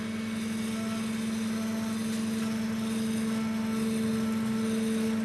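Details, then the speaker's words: Chinese laser cutter stepper motor at 30 mm/s travel, hunting background ripples: steady low hum with fast even pulsing, going into steady oscillation then stopping; stepper motor resonance. "now 30 millimeters a second is a completely different sound but it's still going into oscillation steady oscillation now it stopped now it's off again"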